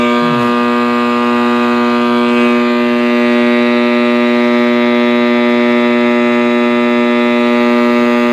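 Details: 1960s General Electric black-and-white tube TV, back off and plugged in while warming up: loud, steady, organ-like howl of fixed pitch with a low hum underneath, from the set's speaker at full volume; audio fault, cause unknown.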